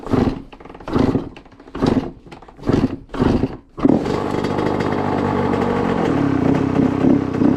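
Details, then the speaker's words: Honda CR85 two-stroke after top end rebuild, first run: sharp revs blipped in uneven bursts then a raspy steady run; sounds better than before, owner thinks air-fuel screw needs turning. Uneven revving. "I'll probably have to turn the not the mass air. What is it? Not the mass air, air fuel up."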